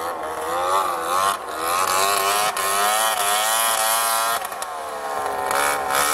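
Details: Two-stroke snowmobile after jackshaft bearing replacement and about 2 hours of riding: revs rise and fall with a raspy, buzzy edge over the exhaust note; owner suspects an exhaust leak, not confirmed.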